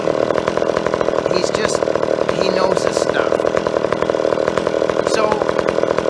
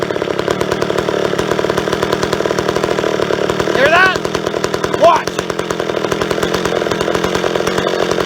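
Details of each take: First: Old chainsaw after carburetor tuning in the wood: crisp even high-rev buzz, steady firing, no hunting or bogging; carburetor set right, runs clean. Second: Old chainsaw, previously idling with no air leak, running lean with the low-speed jet screwed fully in: high, thin, hard-edged two-stroke scream with a brief pitch jump, drying itself out.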